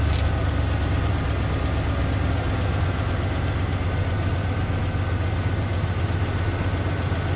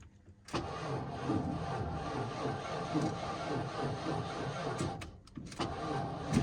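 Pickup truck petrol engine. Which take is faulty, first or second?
second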